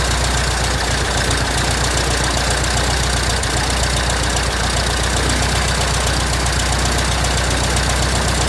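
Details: 1967 Citabria restoration, first engine start: loud, steady low engine beat at roughly four pulses a second, holding even without stumbling; normal idle.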